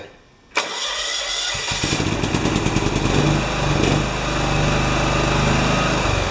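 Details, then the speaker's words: John Deere 180 small engine after exhaust valve adjustment (valve wasn't fully closing, ran poorly), tray off: brief crank catches at once into an even, steady idle with no ticking or misses. "okay I'm happy long as it doesn't leak I might just let it run for a minute before I put it back together again"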